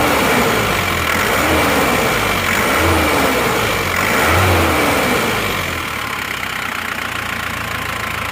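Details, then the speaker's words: Isuzu Panther diesel, second-hand replacement block, idling evenly and blipping smoothly after the lower timing gear was replaced; smooth with no knocking, though a bit harder-toned than another Panther, possibly from slightly worn cylinders. "halus ya ini suaranya dan rata cuma kalau menurut saya suaranya mobil ini mesin ini sedikit lebih atas atau keras daripada yang dari platka yang dari Blora"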